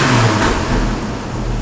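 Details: 2008 Hummer H3 with a known valve problem: throttle snaps with a little unevenness while the MAP sensor is scoped, a misfire traced to an intake valve fault.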